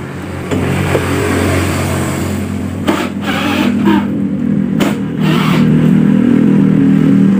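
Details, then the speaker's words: Honda Beat scooter that died while riding, checked early morning; slow, laboured, uneven cranking at about three and a half turns a second, hard on both electric starter and kick starter; hard starter cranking. "standar yang sedari jadi disetater keras di engkol juga keras"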